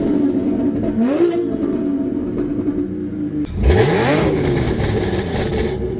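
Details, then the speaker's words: Audi A6 3.0T with crackle tune, non-resonated downpipes and X-pipe, stock rear mufflers and a Gibson 55106S muffler, two revs parked: smooth climb and fall, deep clean drone, no rasp; loud only at higher RPM. "yeah so it still gets loud when you get on it but that's like in the higher RPMs but the rat the thing is the rasp is gone that's that's what I wanted"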